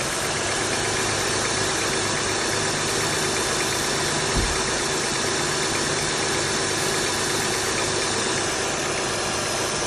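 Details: 2004 TL engine started fully cold; light, fast metallic knocking grows more pronounced after about 30 seconds at idle, heard most at the front and back of the cylinder. Owner wonders about valve adjustment; cold-idle knock.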